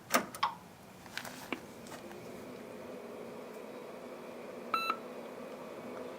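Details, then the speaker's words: Corona Data Systems CS40 Turbo XT clone (8088, turbo mode 8 MHz, dual 360K floppies) powered on: a few clicks and switch noises, then one short clean beep over a quiet hum; normal power-on self-test. "Hear it beep. Screen starts to come to life."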